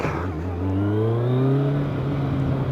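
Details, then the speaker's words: Kawasaki ZZR1100 (ZX11) on a test ride of roughly 200+ km/h after new coolant hoses, thermostat, fan, oil and refurbished headers; temperature good. Smooth, clean pull climbing through the revs over wind noise, with no misses; normal acceleration. "sounds gorgeous rides gorgeous is gorgeous oh i'm a happy man"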